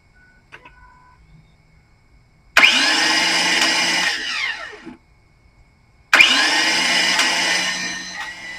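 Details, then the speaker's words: Ford F150 with a failed starter and fuel pump: two bursts of high, steady whirring with no engine turnover, then winding down; starter spins free, gear suspected not engaging the flywheel, unconfirmed. "So, I'm not sure if you heard it, but that is the noise it's making. basically just the gear is not engaging it sounds like into the flywheel"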